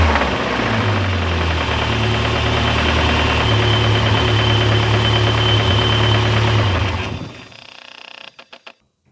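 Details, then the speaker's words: MG TF, microphone on a ledge: engine runs with a hard, regular knock about four per second over a rough idle until switched off; engine considered dead, cause to be diagnosed by teardown. "um yes the engine's dead basically um but in the next episode we will be diagn closing and probably tearing down the engine to see if we can repair it"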